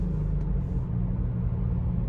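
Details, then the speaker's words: BMW F31 with N20 engine, after a provisional misfire fix focused on spark plugs and coils: a short pull with a smooth, even low rumble and no stumble or popping, then lift-off; no error returned; normal acceleration. "aí ó de boas velho não sei o que que pode ter acontecido não mas que bom né que tá sem problema agora tá aparentemente"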